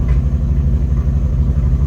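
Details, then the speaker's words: 1975 Sierra Heavy Half squarebody, running again after sitting 20 years, idles with the foot off the gas: a deep, even V8 burble with no misses. The owner thinks the idle may need turning up slightly. "all right my foot's off the gas now I think we're"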